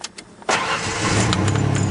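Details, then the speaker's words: 1992 Ford Ranger 3.0L fuel-injected V6 after fuel filter replacement: brief silence, then the engine catches instantly and settles into a smooth steady idle with no stumble; normal start and idle. "there we go that's better that's it that's all there really is to replacing the fuel filter on a 1992 Ford Ranger"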